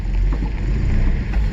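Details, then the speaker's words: 1979 Datsun 620 King Cab truck, sat in weeds, just started with a borrowed battery: uneven lumpy low rumble, sounds like running on about three cylinders; misfire cause not confirmed. "i got the battery put in it and it fired right up sounds like it's only been on about three cylinders right now"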